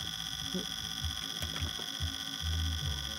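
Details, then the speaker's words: Old desktop computer not powered on in years: on plugging in, a repeating electronic alarm pulses steadily over room hum and cannot be silenced from the power switch; cause unknown. "oh boy hear that the thing is I can't even turn it off"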